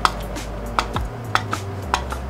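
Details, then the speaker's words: Warmed engine with K-Tuned throttle body: sharp metallic clicks about two a second as throttle is worked over low hum; throttle plate sticking, throttle stop bolt to be adjusted. "not supposed to sound like that like that clicking sound"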